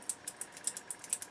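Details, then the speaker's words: Harman Kardon Citation 15 tuner, old selector switch after washing out old grease with Electrosolve contact cleaner: crisp light even clicks about eight a second, no gritty drag; switch clean and working freely. "hear it's cleaning up quite nice, and you're clicking nice now."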